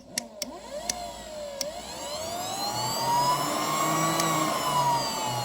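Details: New aftermarket secondary air pump for a 2005 BMW 325xi (E46, M54 2.5L inline-6) bench-tested with a Power Probe: a few clicks, then a smooth whirring whine that climbs and holds steady, running normally.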